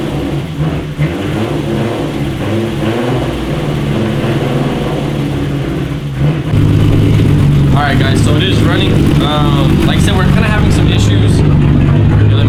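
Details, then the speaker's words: Turbo VR6 VW GTI just refuelled with E85 after running on empty: steady low drone stepping up in revs with an uneven, slightly lumpy beat; it starts and revs but sounds like it wants to die, running rough, likely fuel-related. "uh issues kind of having some issues like uh it'll start it'll rev up but then it sounds like it like wants to die out and it does not"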